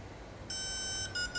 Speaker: one long tone is startup mode one long one shot is the timing